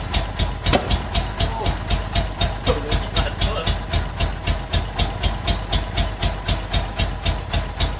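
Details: Honda Civic Genio with swapped Honda Prelude VTEC engine, setup not yet finished: sharp even ticking about four times a second over lumpy idle; rough idle, cause not confirmed.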